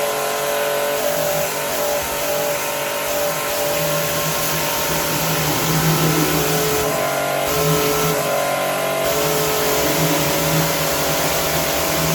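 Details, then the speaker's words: Pumkin Chicaco high-pressure washer, originally with no pressure, tested after repair with a part greased and refitted: steady motor hum and pump noise on an even note, no surging or knocking. Pressure is restored, works as before and is adjustable. "ฮะโอเคครับเพื่อนก็เช่นเดียวกลับมาแรงนะครับแล้วใช้งานได้เหมือนเดิมแล้วก็เลยนั้นก็สามารถปรับนะครับเร่งเบาได้"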